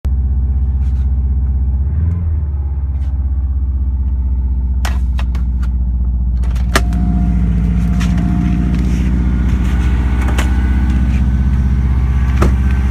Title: Bad noise part 2 - cold start sounds like this until 160-170* and up